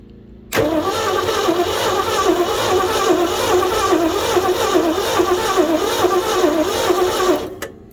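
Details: 1969 Ford F100 that sat for years with no hood and a previously stuck engine, hot-wired, not in gear, carburetor possibly bad. Steady rhythmic starter churning for about seven seconds, never firing. Cranks, no start.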